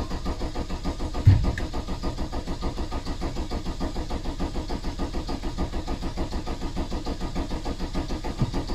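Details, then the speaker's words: VW T3 van with swapped-in TDI diesel, 1162 km after the engine and gearbox swap, during a service: steady starter churn at about two compressions per second with one early clunk, no firing, to build oil pressure before starting. "we'll just spin it over and just make sure our oil pressure light goes out and once the right pressure light goes out then we can start it"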